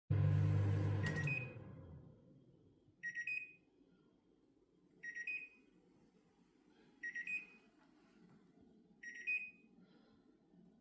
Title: How to make a Bosch microwave stop beeping endlessly?